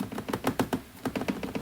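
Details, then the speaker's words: 2017 Ford F150 5.0 with a Roush cold air intake: quick, hollow plastic rattling under load as the loose factory inlet duct, with about a 1/8 inch gap, hits the Roush air box. "And the rattle is coming from the piece that goes into here, and it's hitting the plastic of the air box. And you can hear that sound under load if you get on it, whatever."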